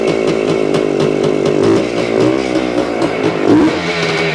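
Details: 1975 Suzuki TS-250 two-stroke after stator rewiring, coil ground repair and cleaning the wet plug, about 30 degrees out: first start, raspy quick rev blips, firing cleanly and evenly; loose screws were later found as a cause.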